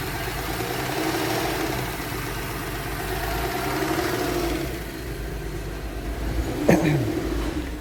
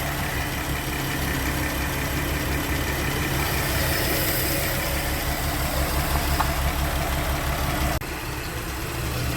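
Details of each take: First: 2013 Porsche Cayenne VR6 (iron block, aluminium head) at idle: uneven shaking beat, rpm hunting up to about 1,500 and dropping, sudden surge; rough shifting also noted, no diagnostic codes; rough idle from blocked PCV valve. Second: Porsche Cayenne VR6, after fixing vibration, unstable running and whistling noise; warm engine at 90°C coolant, 78°C oil, 1.9 bar oil pressure: smooth, steady idle with an even hum, no misses or knocking; normal idle.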